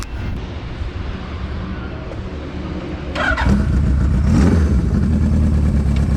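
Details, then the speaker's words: Four-cylinder GS750 cafe racer with a new custom exhaust, carbs rebuilt because they weren't getting enough fuel, just dyno tuned, on its first ride: a steady low burble picks up smoothly on a throttle blip with no misfire or stumble. Running sweet. "Sounds sweet as well. Sounds like a jigsaw, hey? Like, yeah. It sounds really good."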